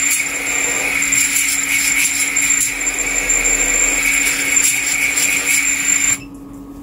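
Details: Smaller, less powerful quad on the bench with very high PID gains (master multiplier 1.5, PD balance 2): steady high motor whine, no wobble or surging, shows none of the frame vibration. Normal motor run.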